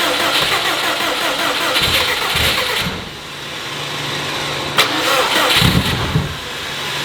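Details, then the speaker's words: Subaru 2.5RS with STI turbo engine swap, first start attempts: steady cranking with brief catches and stumbles that never reach idle, even with injectors disabled. Crank-position error shown; owner suspects far too much fuel, unconfirmed. "I have injectors disabled right now and it's like trying to start. Why is it wanting to start?"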